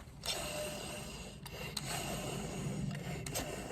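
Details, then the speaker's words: Removed alternator turned by hand gives a dry, gritty rasp: the bearing is shot and grinding instead of spinning smoothly, though the unit still put out 14.5 volts. "I guess that come across on film. You can hear the bearing is shot in it."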